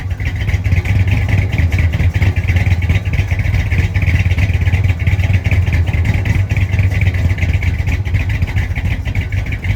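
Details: 1965 Chrysler 300 with a 383 V8, revived after sitting since 2005, carburetor mixture screws set about 1.5 turns out, heard from the rear: deep, even exhaust burble with steady rhythm, no misses or knocks; normal running.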